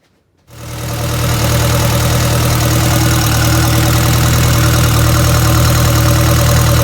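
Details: 1962 Land Rover Series 2A 109, 2.25L diesel: starts and settles to an uneven, lumpy bouncing idle about 214 beats a minute; smooth when cold, misses and jerks once warmed up; cause unknown.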